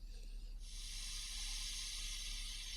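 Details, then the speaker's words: Vibrolux Reverb valve amp warmed up 20–25 minutes, mic against the speaker, audio boosted 12 dB, with volume, treble, middle and bass all on 10: hiss steps up, then holds even over faint low hum. This is normal full-settings hiss. "So we put the volume, treble, middle, bass all on 10. So you are going to get some hiss now."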